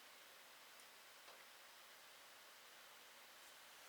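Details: HP dv9000 laptop with the fan's white and yellow wires pulled from the connector to force full speed: steady, even airy whoosh with no speed changes.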